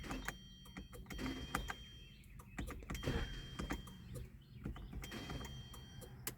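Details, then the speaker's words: 2011 Hyundai Sonata with a failing starter: starter whirs thinly and clicks but the engine never turns over, the plunger not pushing the pinion out so it freewheels; repeated retries eventually get it to start. "this starter is just freewheeling the plunger is just not pushing the starter out"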